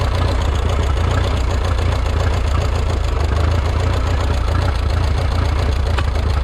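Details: Minneapolis Moline 335 tractor with a freshly rebuilt engine, about 140 degrees: low, uneven chugging idle with irregular beats, misfiring and rough. Owner says it isn't firing right, and blow-by is seeping through the tappet cover.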